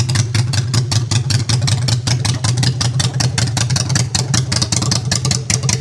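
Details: Honda Shadow V-twin after custom build with new custom exhaust pipes, in neutral; loud, steady, deep idle through open pipes with even lumpy pulses, no knocks or misses; normal idle.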